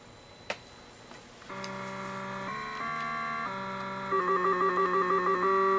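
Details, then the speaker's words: Nintendo Donkey Kong TKG2-03 four-board arcade set, sound board with a replaced 2716 ROM. It plays clean steady tones through a tune, then a crisp repeating pulsed note: normal sound output. "That is how it's supposed to sound."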